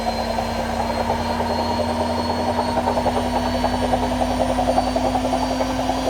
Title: My AEG Washing Wachine Rattling Sound